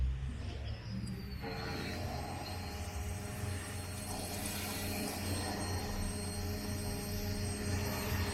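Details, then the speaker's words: Fuel pump of a Ford Focus actuated by scanner with ignition on and engine off, heard from under the car with the tank not yet fully installed: thin, steady whine over street traffic; normal fuel pump operation. "bomba ligado desligada a bomba de combustível vamos mais uma vez escutaram agora vamos desligar hein Beleza bomba de combustível funcionando serviço completo né"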